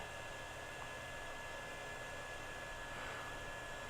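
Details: Early Compaq Presario desktop after replacing a dead power supply that caused no activity at startup: steady, even airy whoosh with a faint constant high tone; fan spinning up strong and smooth, normal.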